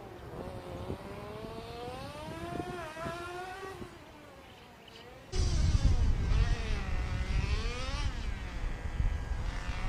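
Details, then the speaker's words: Old two-stroke nitro engine in a Tamiya TGX Mk1 Nissan R390 GT1 RC car on track, with a leak at the front; high buzzy note climbs and drops smoothly through laps and gear change, no misfire, running reasonably well. "As you can hear in the footage there, the car is running reasonably well. The engine is pretty old and it does have a leak in the front, so it's not running the best, but it's actually running pretty good."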